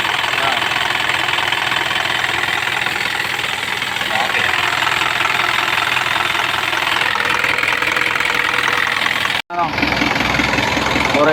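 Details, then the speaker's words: Isuzu 4HF1 diesel idling during testing; heavy rushing hiss and chuffing over the knock, heavy smoke from the crankcase breather; excessive blowby. "So problema lakas ng tubay. Grabe woo grabe lakas ng blue bay ayan oh meron akong mausok"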